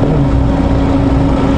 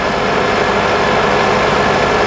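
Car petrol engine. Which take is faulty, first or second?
first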